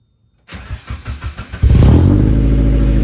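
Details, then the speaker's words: Nissan 240 after patching exhaust holes: cranks then runs loud and raspy with deep blat, still sounding like an exhaust leak; owner suspects internal muffler damage. "okay super weird it still sounds super exhaust leaky it honestly might be damag inside of the muffler actually it might be the actual Muffler that uh just sounds really bad"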